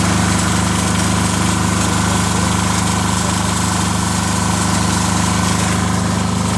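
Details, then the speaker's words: Commercial pressure washer with a diesel Kubota engine, started after glow plug warm-up and about 6-7 months unused, with a new battery and belts: deep, even diesel clatter with no misses or knocks, running cleanly. "Except for today, probably about 6-7 months ago. And it started right up first time."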